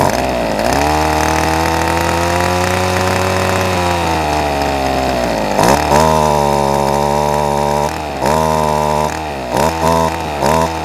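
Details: Ryobi SS30 30cc straight-shaft two-stroke trimmer/edger after fixing a primer bulb that wasn't filling with gas: fires up and runs smoothly, revving up and dropping back cleanly with each throttle blip; healthy engine.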